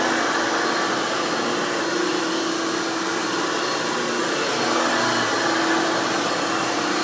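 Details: Hoover Futura (Dimension) U5213-930 upright vacuum from 1997, repaired after a damaged fan, broken wheel axle and worn brush roll: a loud, steady, high screaming whine with an even rush of air and no rattles or surging, running normally.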